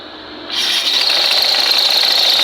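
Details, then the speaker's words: Honda PCX 160 scooter, loud high-pitched rasping hiss with steady squeal from the CVT belt-drive case; cause was a worn, pitted drive pulley face, to be replaced at Honda. "Hindi naman talaga normal na maingay ang panggilid ng PCX. May dahilan talaga kaya kung bakit maingay ang panggilid ng PCX tulad niya ng pulley."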